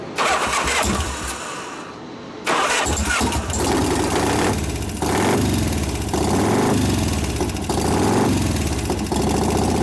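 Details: 1988 Harley-Davidson FXR V-twin after pushrod adjustment and cam change: fires and settles into a lumpy idle with a light tick over it, a noisy lifter suspected, which one still unknown.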